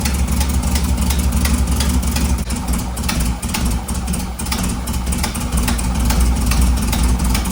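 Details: A low, steady putter at idle with only slight wavering and no ticking or clatter. The rebuilt air-cooled engine of a 1958 Karmann Ghia runs healthy on first start after the valve rocker clearances were adjusted and the carb swapped.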